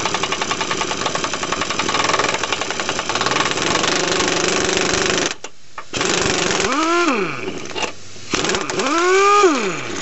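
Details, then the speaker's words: 2004 Chevy Tahoe (GMT800), air impact wrench removing steering box bolts during Pitman arm replacement: rattling hammer bursts stall and restart as motor speed sags and climbs; the air wrench is weak and short on power. "all right I'll try the second one now this air gun really isn't working"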